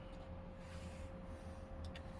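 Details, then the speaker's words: PS2 SCPH-39001, lid open with top magnet placed on the SOCOM 2 test disc during laser testing: quiet steady whine from the spinning disc, faint laser-seek ticks; drive spins up and reads normally. "Put it up. Now she's reading. There she goes."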